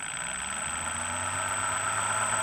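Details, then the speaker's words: Known-good control Hobbywing 3.1 brushless ESC on a MiniPro dyno, 2S fully charged battery, throttled with a servo tester: quiet, steady electric whine at even pitch without stutter or cogging, normal smooth motor run. "just to show that how speeders should work you just turn it on once it's on and they go it's very smooth very"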